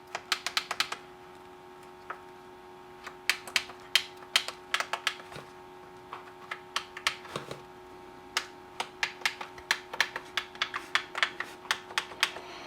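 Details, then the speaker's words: M&S Systems Model N350 1980s music intercom master station, after its failed bubble switches were replaced with new tactile switches. Each button is pressed to test it, giving crisp sharp clicks in quick irregular runs. All switches click normally. "okay i think they're all pushed down far enough let's try for the last time they all work they'll go click click click when you push them"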